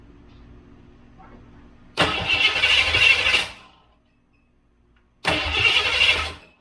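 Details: Foxbody Mustang (Calypso clone) with low voltage on the fuel pump circuit: steady starter cranking in two spells, engine spins freely but never catches; no spark because the computer's power wire is cut, wiring fault.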